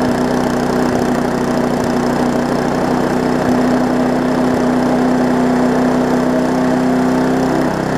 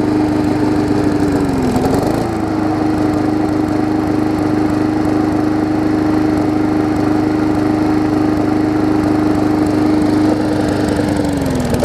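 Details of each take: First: Briggs & Stratton Classic push-mower engine on a Hyper Tough deck, known to vibrate: runs steadily with a few uneven thumps, slightly rough; the owner thinks it is set a bit high on throttle and vibrating, so he plans to back it off. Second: Briggs & Stratton Classic engine swapped onto a Hyper Tough deck with the gas tank from a Weed Eater 22" mower: steady, even drone with constant tone and two brief governor dips; runs smoother than the old engine.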